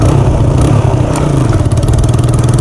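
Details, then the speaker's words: TVS Apache RTR 180 whose silencer support came loose while riding, silencer shaking and rattling at the rear: loud, raw, open-pipe rasp with a chattering edge when revved, as if the silencer were removed; exhaust leak. "आधी जैसे की silencer हटा दिया हो या फिर परसली जो silencer खराब हो जाता है ना कुछ उसे तरह की कचर कचर वाली आवाज़ ए रही है"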